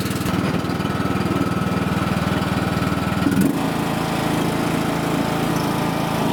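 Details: John Deere riding mower after replacing the deck belt, restarted for testing: small engine fires at a steady, even chug that settles at a slightly different note midway, running smoothly with no knocks or misses; normal running.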